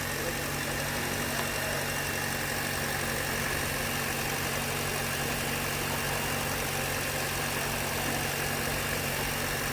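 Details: Hyundai Verna 2023 petrol automatic with an overheating complaint, idling after the repair work: a smooth, even idle with a steady hum and no knocks or misses; the engine sounds healthy.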